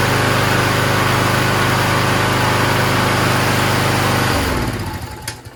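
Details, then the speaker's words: Toro Recycler mower started after a month in the shed, primed: single-cylinder runs steady and even with no misses or knocks, then winds down cleanly at shutoff; healthy. "a good sounding engine man"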